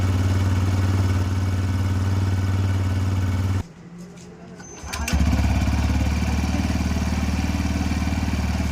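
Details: Brand-new TVS Raider 125, first cold start: the single-cylinder thumps at fast idle, cuts out briefly, then catches and settles into a steady beat; a hard cold start.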